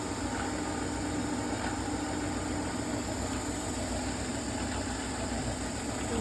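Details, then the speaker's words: General 340 drill press after fitting new bolts to the loose belt guard and reinstalling the pulley and belt, tested with the guard on: a steady, even hum with a faint tone and no loose rattle. Much better; the loose guard is thought to be the cause. "I think that loose guard was now a test with the belt guard on. much better."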